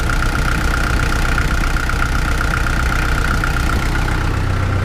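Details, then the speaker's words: Kubota L48 diesel at idle right after resealing hydraulic swing pump 3, fluid circulating and no leaks seen: steady, even idle with a light pump hum and no misses or knocks; sounds healthy. "Start it up at idle. Let that fluid circulate a little bit. I don't see any leaks."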